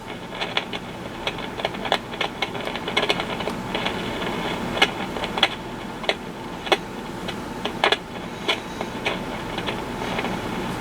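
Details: B&K E200D RF signal generator, recapped by owner: sharp irregular crackles and pops over faint hiss, worse when moving band selector switch.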